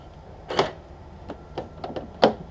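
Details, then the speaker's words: 1994 Peugeot 306 infrared central locking, infrared receiver on a temporary battery rig, locking then unlocking; several crisp, soft separate clicks; normal central locking actuation. "here we go it's like a loose soft click locked unlock"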